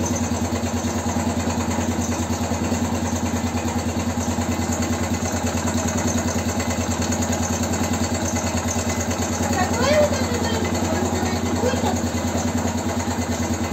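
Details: BM Motard 259 single-cylinder after engine rebuild, idling: light regular tick about three per second over the even beat; knock of unknown origin, listeners unsure if it comes from the upper part of the engine.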